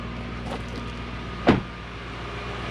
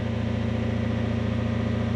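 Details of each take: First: Toyota Soarer/Lexus SC400 1UZ V8 that stalled after sitting, after bearings replaced and a coil plug fixed: brief crank and catch, a rev flare, then a smooth idle at about 1000 rpm with no knocks or hunting; idle issue fixed. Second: Toyota Soarer / Lexus SC400 1UZ V8, not fully warm, idling after sitting a few days: steady low throb with slight rhythmic pulsing, idle unstable and prone to stalling; suspected sticky idle stepper motor bearings or an air leak after recent disassembly, unconfirmed.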